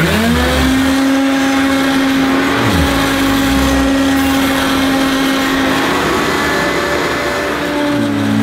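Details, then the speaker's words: 1984 Hoover U2194 Turbopower upright vacuum cleaner, first run after unboxing: steady high motor hum with a rough, gravelly undertone that rises and dips as it moves; dry motor bearings suspected, not confirmed. "well it's not too bad but it's not great either i suspect a lot of you are shouting dry bearings at the screen but i'll have a look at it"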